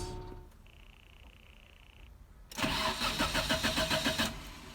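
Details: Nissan Sunny B13 under restoration, engine and transmission called its best parts: brief crank, engine catches cleanly and settles into an even, steady exhaust burble with no rattles or blowing; normal start.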